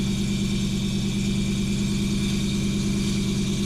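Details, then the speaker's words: Ford Mustang at idle: harsh buzzy rattle from the bellhousing area over a steady idle, a clutch or flywheel problem suspected, not confirmed. "Oh, that's awful. Oh my God. That's miserable sounding. That sounds awful. I've never heard anything like that."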